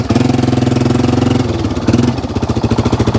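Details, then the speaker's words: 1995 Yamaha Wolverine 350 ATV after fixing crank-no-start (spark plug and cap suspected), with head pipe exhaust leak and loose baffles: single-cylinder thumping steadily about three and a half pulses a second, runs evenly; seems slightly rich, spitting a little. "all right he seems to run pretty good"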